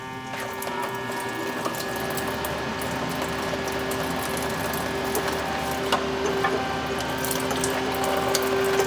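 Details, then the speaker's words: Subaru BRZ drift car being prepared, electric coolant pump switched on while bleeding the cooling system: steady, even electric hum with water trickling through, no gurgle or rattle; pump running fine. "Agora acho que sangrou. Segura aqui que eu vou ligar a bomba d'água lá."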